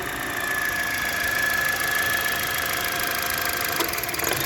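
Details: 2011 Toyota Corolla 1.8, engine under load while accelerating: uneven rapid clicking and crackle over a mid-pitched engine hum, a rattling knock heard as the engine works; knocking under load.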